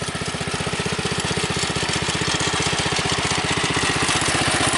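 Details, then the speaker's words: Customised Bolens Husky 600 garden tractor with new oil seal, third gear, wheel weights removed, slightly above idle: crisp even single-cylinder thumping about four beats a second, no misses or rattles; healthy engine. "It's a little bit above idle. It's working really well."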